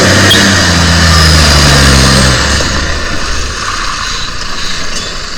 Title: #SL01453 with an exhaust leak….